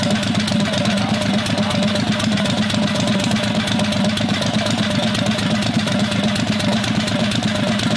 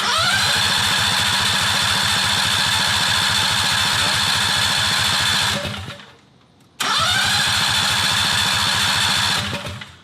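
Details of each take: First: 670cc Predator V-twin go-kart after sitting months, no-start traced to a failed electric fuel cutoff solenoid (not carburetor), solenoid disabled; steady even V-twin beat at fast idle, running normally. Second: 670cc Predator V-twin go-kart sat for months with carburetor problems, choked: steady rhythmic cranking in two long bursts, never catches; suspected dead fuel cutoff solenoid on carburetor bottom.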